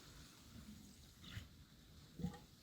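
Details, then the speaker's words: 1984 Honda XR250 conventional damper-rod front fork refilled with about 500 ml of 10-weight oil, no springs fitted, stroked up and down: two soft wet gurgles as trapped air bubbles out of the oil; normal during bleeding. "There's a fair bit of air in there. You work the fork up and down to get the air out. You may be able to hear that gurgling."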